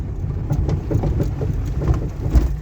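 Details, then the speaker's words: Renault Clio Joy with automatic transmission: irregular dull thumps and knocks from the undercarriage over deep road rumble while driving, clearly heard on a test drive. "duymuşsunuzdur arkadaşlar ses çok net bir şekilde duruyor bu hala sesim Sebebine geçiyoruz birazdan"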